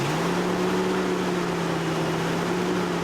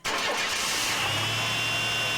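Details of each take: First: Chevy 4.3 Vortec V6 truck, still faulty after a shop repair, settles from a raised idle to a steady low hum that runs a tad rough with faint unevenness from two swapped spark plug wires; sounds stronger, working on all six cylinders. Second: Chevy 4.3 Vortec V6 truck, started after correcting spark plug wires that had been swapped and running rough: engine catches almost instantly and settles into a smooth, even idle with no misfire or stumble; starts and runs properly.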